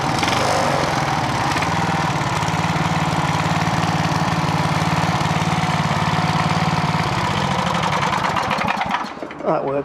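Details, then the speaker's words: Clarke generator with Briggs and Stratton engine, nearly out of fuel, after over-volt fix: even steady drone at constant speed with no hunting for about nine seconds, then dies away; governor holding properly. "let's see if she'll run shall we that's about right that sounds pretty good so"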